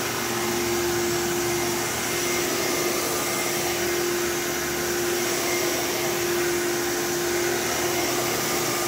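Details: Old bagless Phantom Thunder vacuum with a dust-filled motor, after a tripped reset button was pressed: a smooth, steady motor whine with an even airy rush, no rattles or pitch wobble. It sounds like new; healthy motor.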